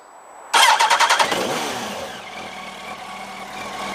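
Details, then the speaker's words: Yamaha R1 after clutch replacement, warm after a ride around the block. A short crank catches cleanly, rasps up, then drops to a smooth, even idle with no clutch rattle; normal start and idle. "That sounds sweet, alhamdulillah. Can't hear any rattling."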